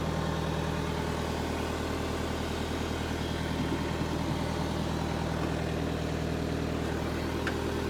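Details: Rescued Power Trac PT 1850 diesel articulating mower/tractor, hydraulic plug still open: steady, even diesel idle with a regular low thrum near 200 beats a minute, no knocks or misses; engine sounds healthy.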